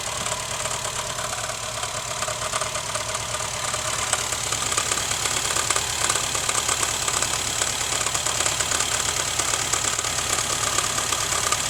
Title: rattling sound from my Honda fit 2011